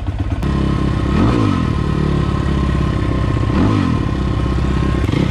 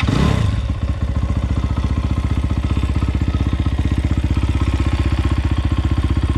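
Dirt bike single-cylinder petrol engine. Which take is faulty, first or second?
first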